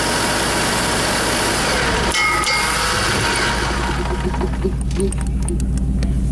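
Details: Motorhome (possibly its generator) after the bad chassis-battery ground was fixed: fires and holds a steady, even idle with no faltering or dying out. Normal start and idle.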